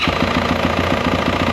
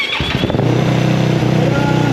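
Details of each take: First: 2024 Yamaha YZ450F bought at auction as "loud": sharp metallic knock about six times a second over the idle, clattering hard; a broken gear tooth was found in the case behind the clutch cover. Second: 2024 Yamaha YZ450F, first start with fresh oil and coolant: even, quiet idle rising cleanly through throttle blips and dropping back, no knocking or clatter; healthy.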